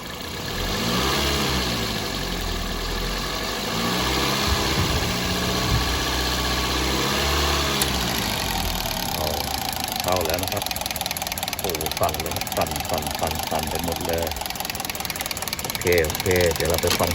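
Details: Toyota Altis on CNG with 300,000+ km, surging and lacking power. It idles unevenly with irregular exhaust puffs and stumbles: misfire blamed on dirty gas injectors, before injector cleaning.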